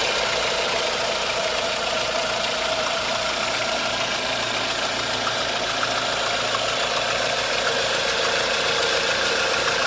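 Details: 1.4 16V car engine at a busy idle with a sharp, fairly quick, uneven tapping knock on top. The knock stays the same after the tensioner was installed and the belt was removed; source not yet found.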